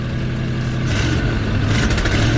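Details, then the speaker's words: 1989 Ford Bronco, started with starting fluid and jumper cables, idling high and leaking fuel: deep loud roar wavers and stumbles as throttle opens instead of climbing cleanly; sputtering, won't respond to throttle, the main ongoing issue. "Oh, it's sputtering. You hear that? We gotta fix that. That's been the main issue I've been having with this thing, is it won't respond to throttle."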